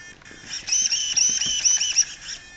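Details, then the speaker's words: 1268SG high-voltage steering servo on a Revo 3.3 truck, rated about 0.11 s speed and 347 torque. Quick high-pitched buzzing whirs rise and fall as steering snaps back and forth. Normal, fast servo operation. "this is the high voltage servo and at high voltage it's running 11 I'm sorry point one one point one one three four seven torque 347 is there torque it's pretty quick"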